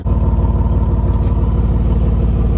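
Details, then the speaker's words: 2010 Chevy Impala, 3500 V6, running well at idle: deep loud even exhaust burble, louder than expected despite a new muffler; cause unknown. "as you can hear the exhaust is a little loud even though it does have a new muffler on it"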